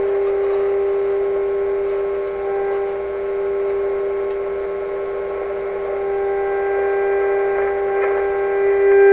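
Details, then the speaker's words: 1925 Magnavox Type D TRF radio: a loud, steady low mains hum with even overtones that stays even with the volume control at minimum. "Get a little further away from the speaker here so you can hear me over it. Because that's the volume control. It's actually pretty loud in here."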